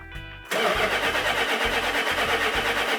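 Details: 1972 Dodge Charger Rallye 318 V8 cranking with fuel added: even starter rhythm for a few seconds without firing; spark plug wires out of firing order.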